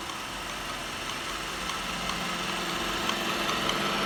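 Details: New Roomba i7+ (owner's second unit) making a light, fairly regular clicking about 2.5 times per second over the running hum. Source unknown.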